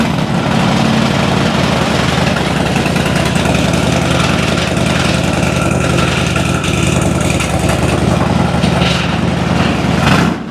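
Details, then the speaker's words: 2006 Harley Dyna Wide Glide after fixing a grounding-out fuel pump; even, loping V-twin idle with a steady beat and no misses, coughs or pops. Sounds healthy. "Okay. Well, let me uh let me let's let's fire it up one more time. Yeah, it sounds good."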